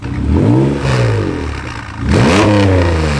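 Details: 1991 Honda NSX from a junkyard, left sitting outside for years, on first start with the check engine light on: revs rise and fall roughly with a light rattle; exhaust leak or misfire suspected, not confirmed.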